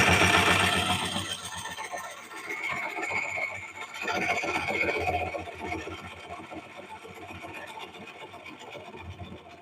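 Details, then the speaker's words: Lathe turning a bowl. A rasping gouge cut carries rapid steady ticking, about four per second, one per rotation, as the tool catches on rough pith wood. "You hear that tick, tick, tick, tick, tick? You do that tick, tick, tick, tick, tick, tick, tick. It's coming around."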